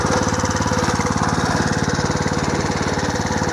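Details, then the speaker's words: Home-built 1/3 scale mini hay baler as stationary hay press, small engine idled down: steady even beat, about three thumps a second, plunger cycling smoothly ready for hay feeding; running as it should. "Okay, the plunger's working, and then all you got to do,"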